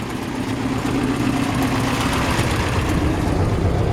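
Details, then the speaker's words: 1955 Ford F-100, hood open, engine just started and still cool, idling: fast light ticking puff over the exhaust note from an exhaust leak at the manifold donut gasket; otherwise engine sounds healthy. "sounds like um we check there's an exhaust leak coming from this donut here other than that the engine sounds really healthy"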